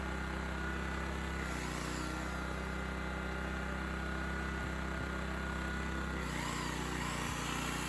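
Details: Honda EX1000 1 kW petrol suitcase generator, said not working, started after adding fuel and choke adjustment, tested with 350 W motor load: steady buzzing drone with slight speed shifts as load changes, no stumbling; running healthy.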